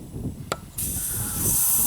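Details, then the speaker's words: 2000 Chevy S10 4WD 4.3L V6 with intermittent long crank: about 30 PSI fed back into pump via feed line then released; click then steady airy hiss as pressure bleeds into tank through leaking fuel pump check valve. "I let it go you can hear the pressure bleeding off into the fuel tank through the fuel pump check valve"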